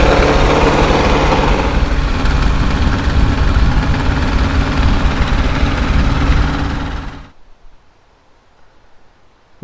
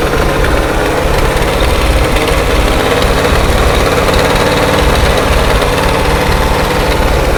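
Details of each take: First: 1968 International 1500C dump truck, V8 (possibly 345), first start after about 20 years sitting: deep, uneven lumpy beat that won't settle to idle; revs up and down but wants choke, owner suspects dirty carburetor primary jets. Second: 1968 International 1500C dump truck, V8 possibly a 345, first start after sitting about 20 years: it settles into a steady, even low rumble with no knocks or misses; a healthy idle.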